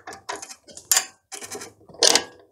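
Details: Chinese mini lathe (CJ0618/Sieg C2 type) shifted into reverse: harsh bursts of gear clatter and grinding in the power feed gears, as the reverse tumbler lever travels too far and the gears foul.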